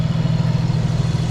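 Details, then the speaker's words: Nissan Stagea, freshly reassembled, warm start: deep, throaty idle with a steady even pulse, no misses or knocks; exhaust muffler has lost its internal tube. Normal idle. "everything's running so good so smooth"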